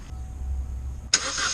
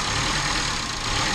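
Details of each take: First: 2011 Chevy Cruze cranks and catches, then runs lumpy and unsteady under a loud constant hiss; massive vacuum leak, fixed by replacing the leaking part and refitting coil pack. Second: 2011 Chevy Cruze after a massive vacuum leak was repaired and the coil pack refitted: a brief, even idle with a steady hiss, no whistle or stumble; no longer leaking, though fuel trim may still need to level out. Normal idle.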